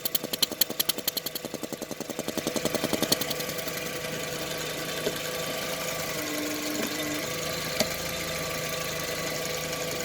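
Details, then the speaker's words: 2003 VW Beetle 2.0L AVH, 77,000 miles, EVAP leak code P0456, warm with fan on: light even ticking three to four times a second over idle, pulsating suction felt at the line; EVAP purge valve working normally. "I can feel this purge valve purging. It's a little pulsating suction. I don't know if you can hear that, but yeah, this valve seems to be working fine."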